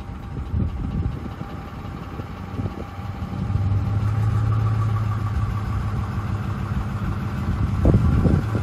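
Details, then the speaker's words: Ford 5.4L 3-valve Triton V8, hot engine, on a road test: low drone turns to steady rough pulsing when accelerating past about 900–1200 rpm, cam phaser oscillation as the phasers jump back and forth uncontrolled due to low oil pressure and volume. "that's phasor oscillation that's the phasers jumping back and forth they're being not being controlled"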